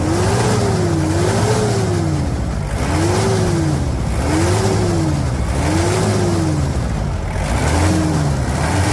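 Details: 1997 Toyota Hilux SW4 after an engine, gearbox and differential service: engine pitch rises and falls smoothly on repeated throttle blips about every 1.5 seconds, with no knocks or rattles. Normal engine revving.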